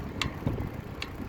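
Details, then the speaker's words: Carbon road bike wheelset with ceramic bearings, front wheel after about 60 miles riding: sharp irregular clicks roughly once a second over quiet rolling noise; possibly the ceramic bearings, unconfirmed. "there's like an intermittent clicking sound i'm not too sure what it is um so i'll get home and i'll check it out it might be the ceramic bearings i'm not too sure"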